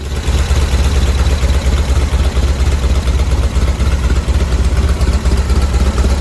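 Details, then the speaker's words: 1970 VW bus flat-four with dual 34 carbs, warming up during carb sync after the idle screws were backed off from too high an idle: deep, steady burble at even low idle with no hunting. Idle holds well enough; mixture screws still to be tuned. "okay to me that's holding a good enough idol even as it warms up to move forward"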